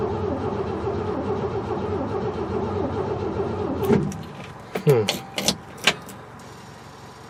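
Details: 1968 Chevy truck not run in 15 years: about four seconds of steady cranking that never catches, then scattered clunks; owner suspects no spark, later confirmed no spark, coil suspected.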